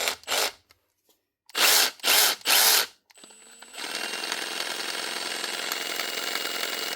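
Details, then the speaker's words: 2021 Milwaukee M18 FID2 impact driver, reported clicky; running unloaded, its high whirr carries a fast uneven ticking rattle from a tiny speck of grit on the gear teeth, fixed by stripping and cleaning. "Well, that doesn't sound right anyway. But she's working."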